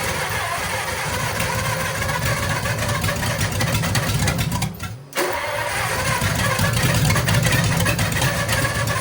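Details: Lincoln V12 flathead after engine-restore in cylinders, compression about 92: rough uneven running with irregular sputtering and brief stumble near stall then catching again, lots of smoke; weak compression from worn rings.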